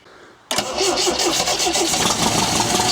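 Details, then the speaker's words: 1974 MGB GT sitting 29 years, fuel pump connected: fast even cranking with no catch; one carburettor flooding, fuel pushing straight up the jet; float chamber possibly gummed up. "she's flooding through one of the one of the cabs see there there and okay i'd let that off all that's happening now is it's just um it's pushing straight up the jet the whole time"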